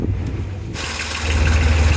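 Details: Boat inboard engine just after a faulty raw water pump was replaced, warming up at idle. Steady, even low rumble with no knocks or misses. Earlier some gurgling was heard at start. Idle sounds smooth and healthy, with no leaks found.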